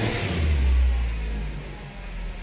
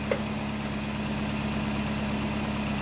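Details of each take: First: 2010 Nissan Cube CVT, car jacked up, in reverse with throttle floored after codes were cleared: the engine swells in a low rev flare and sags with little pull, no throttle response, the transmission slipping and going into limp mode. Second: 2010 Nissan Cube with a replacement CVT at idle: a smooth, even idle with a steady low hum and no whine or knocks; the transmission engages reverse and drive confidently.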